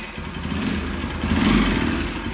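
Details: Bajaj Pulsar NS200 motorcycle engine, filmed during work on an engine noise problem: a steady, even single-cylinder beat with no knocking or rattle over the exhaust note, running clean at idle.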